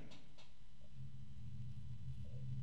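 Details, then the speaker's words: Lamptron Altair+ 120 mm ARGB fan on Molex power running at full speed: low, uneven drone with a rough rubbing edge from a noisy worn bearing, possibly lubrication not yet spread after long storage. "So maybe the problem that they caused them to get rid of this otherwise attractive fan was because of the bearings."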